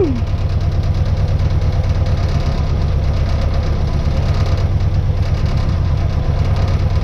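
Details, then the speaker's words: 1966 Austin Healey Sprite four-cylinder after negative-ground conversion and new electronic distributor, timing advanced: steady, deep, even idle, no misses or knocks; runs normally. "look at that yeah oh yeah that sounds great hell yeah it's running"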